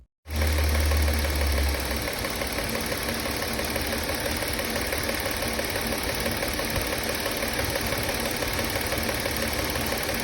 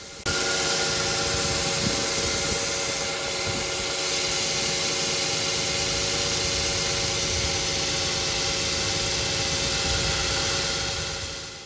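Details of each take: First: Car engine running after the drive belt that squealed and chirped was swapped for a new one. An even mechanical whir with no squeal or chirp from the belt area: the new drive belt sounds healthy. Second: Car petrol engine starting on the driveway runs with a steady, thin high-pitched serpentine drive belt squeal over idle. Noise is loudest at morning start-up in humid or wet conditions, quietens with use, and was noticed stationary in a car park.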